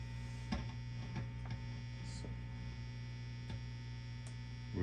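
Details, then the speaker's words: Fender Bassman 70 silverface tube amp, warmed up, all volumes down: constant low buzzing hum with no rhythm; power-amp hum, suspected filter caps, power tubes or both, pots also slightly contaminated. "with all volumes down we're getting some Power Amp pom filter caps perhaps power tubes perhaps blend of both perhaps"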